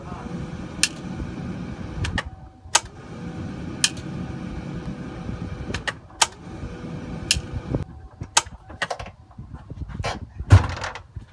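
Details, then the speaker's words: Ford 7.3L diesel F250/F350, glow plug system test with the key on. A sharp single click is heard among the cab chimes and clatter: the glow plug relay is switching normally. "the way you want to do that gotta go in there you're gonna turn it on listen for a click"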